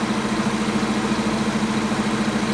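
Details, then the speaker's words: 1992 Toyota Pickup 22RE, manual 2WD, at first fire-up after new exhaust headers: even, steady idle with a smooth regular pulse and no drone or ticking. It sounds much better than the old droning exhaust. "so even after the first fire up we can tell it sounds better uh hopefully the drone's gone that sounds that sounds so much better already"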